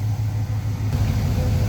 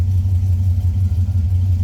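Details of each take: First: Hot carbureted engine after mix screws were set at highest vacuum, then an eighth to a quarter turn richer: a deep, smooth idle with an even low rumble and no hunting. AFR is about 13.5 and rock steady, a normal idle. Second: All right, so when it first fires up, it's going to be a little lean because it's hot and heat soaked. but it'll quickly richen up. So here we go, we're lean and heat soaked.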